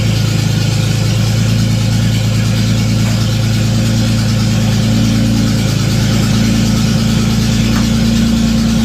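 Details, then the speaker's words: Datsun 280Z first start in years after fogging oil down the spark plug holes: loud, raw, barking idle with a rapid even pulse and no muffling, since there is no exhaust system and it is running straight off an open manifold. "sweet as you can hear there's no exhaust it's just an open manifold"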